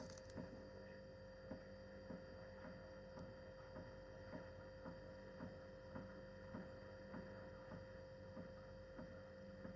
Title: My fridge randomly makes this sound when the compressor is kicks in.... sometimes.... What is it???